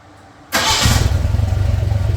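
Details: Narrow-gauge Bombardier engine after thermostat and gasket replacement for overheating, air breather off: quick crank and immediate catch into a steady, even low idle with no stumble; clean, healthy start.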